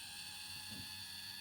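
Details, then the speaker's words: Dapol/Model Rail 0-4-0 steam Sentinel 'Molly' model locomotive, Super Creep mechanism at slow creeping speed, mic held close: loud, steady high-pitched motor screech over faint low rumble, far from quiet, unhealthy-sounding; cause unclear. "Oof. That noise, though, is not what you'd call healthy."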